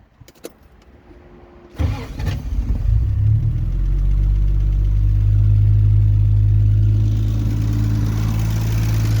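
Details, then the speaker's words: 1972 Triumph TR6 after engine rebuild, already warm, electric fuel pump without regulator, carbs running slightly lean at max rich; smooth, even low idle with a steady beat and far less misfiring than before; normal warm idle. "So, I notic, and I don't know if it's anything to do with the fuel pump, but I notic there's a lot less misfiring going on with the engine."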